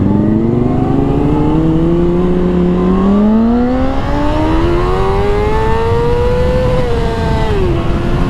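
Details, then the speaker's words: 2004 Honda CBR600RR after a throttle cable replacement, accelerating hard up a freeway on-ramp; it previously would only sometimes pass 13,000 rpm. Revs rise cleanly and strongly with no flat spot. Normal acceleration, cable confirmed as the fault. "Hell yeah, we're back in business. Back in business. We're back in business. We're making power now."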